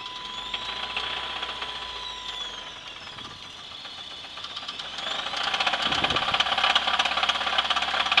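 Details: 1996 Chevrolet S10 4x2, 2.2L I4 MPI, 146,300 miles, running: a sharp, fast, steady knock about three per second rides over the engine and grows louder; the cause is unknown, and the engine is to be sold for parts.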